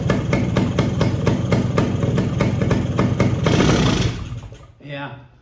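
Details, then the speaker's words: Suzuki TS185 two-stroke barn find, first start after sitting 25 years: thumps about four times a second with a sharp hissing puff each stroke, compression escaping through the compression release valve, later removed. "releasing pressure out of that damn compression release. That's what it sounds like."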